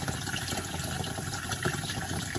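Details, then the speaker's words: Tank refilling through a float (ball) valve that had been set so low it only trickled; after adjustment, a steady rushing gush fills the tank properly. The tank can now fill quite full. "Basically, I've got it set so low that it was just trickling over. Whereas that whole tank, you could literally get that quite full up."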